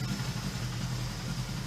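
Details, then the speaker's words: 1977 Suzuki GS550 four-cylinder, after a two-to-three-minute warm-up following two years stored: smooth, even low idle with a steady beat and no misses or ticks; running better, normal warm idle. "um same deal you need the same two three minute warm up every time on this bike so now better running sounds good"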